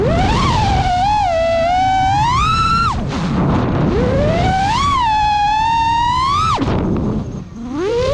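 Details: Quad with Xing 2207 2450kv motors, new 5x4 props on new frame, reused Bardwell F4 v1 FC and Spedix 30A BLHeli32 ESCs, Betaflight 4.1 RPM filtering, 1500mAh 4S, GoPro 8: whining motor tone sweeping with throttle, slight pitch wobble; constant microvibrations, cause unknown.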